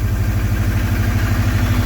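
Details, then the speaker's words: Subaru boxer, first start after water pump replacement and full reassembly: even, steady low idle throb with no knocks or misses; a slight old piston slap still present, otherwise normal idle. "i mean it still has that like old subaru piston slap but yeah but like in the cold it usually be like it doesn't do that anymore she sounds good"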